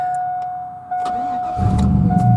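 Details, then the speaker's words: 2001 GMC Sierra 4x4 budget flip: brief crank, catches at once and settles into a steady even idle; reliable starter every time. "this thing starts up every single time now I judge myself it's very not gonna start but let's go ahead and see if it starts"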